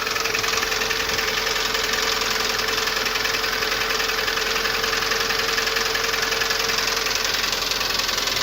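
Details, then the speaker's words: Lada Priora 2170 engine at hot idle, steady sharp knocking about 3.5 per second; hydraulic lifters already replaced without help, owner suspects camshaft wear rather than pistons since no oil consumption; internal knock, not confirmed. "сейчас покажу вам как в принципе она стучит масло при этом мотор не жрёт"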